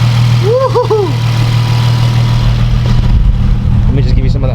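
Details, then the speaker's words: Car on slicks at its first start, following a false-alarm smoke from spilled coolant: a steady, even, crisp low rumble with no knocks or misses. Normal idle. "crisp tone it idles fine"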